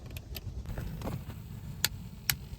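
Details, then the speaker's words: 1999 Toyota 4Runner Limited with automatic HVAC: sharp, regular clicks about twice a second under the right side of the dash when changing hot to cold; blend door actuator with worn, stripped plastic gear, temperature won't change. "and then I kind of block it starts clicking it's cuz a plastic gear in there is uh getting worn out but it's a pretty common thing"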